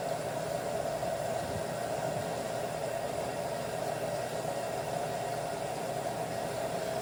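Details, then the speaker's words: LG front-load washer with IE code, after replacing hot and cold water valves, in diagnostic mode: probably main water valve fill, even steady rush with constant hiss, no buzz or chatter; pressure reading drops from 261, normal. "you know it's working properly when it turns off at about 230 229 when it's full"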